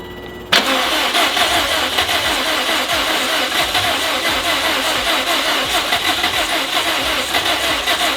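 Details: 2004 Subaru WRX STI EJ, reused built short block of unknown mileage, second start with oil and fuel pressure, no check engine light: sharp regular tapping knock over idle; rod knock, severe piston slap or AC suspected.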